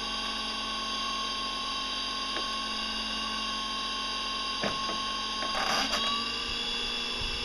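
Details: Salvaged used electric motor with propeller, reassembled after troubleshooting an abnormal sound: brushes checked, screws oiled. A steady high whine with light roughness from worn gears, no scraping or knocking. Running normally.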